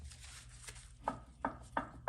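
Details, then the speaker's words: Toyota Tundra 2nd gen, lower control arms removed: torn boot on lower ball joint, four sharp metallic clunks as the loose joint is rocked by hand; worn lower ball joint, replaced along with the control arms. "So a little surprise here that I didn't expect. I have a torn boot on my lower ball joint. And if you listen carefully, hear the clunk?"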